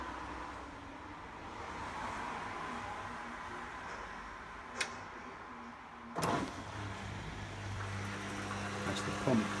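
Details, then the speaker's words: Beko washing machine after a PCB repair by resoldering, on a spin and drain program with no water in it: a soft, steady hum from the drain pump running dry, with no grinding or rattle; normal. "pump working. There's no water in it. This is just a quick test. It's just on a drain at the moment."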